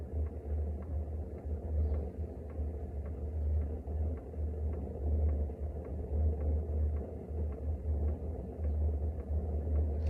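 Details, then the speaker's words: BougeRV 5 kW diesel heater just lit after glow plug warm-up, display rising from 17% to 24%: steady jet-like low roar with faint regular fuel pump ticking and an even rumble, burning normally. "It just lit up. It's now at 24% efficiency. Let's see what's going on here. You can definitely hear it. Sounds like a jet now."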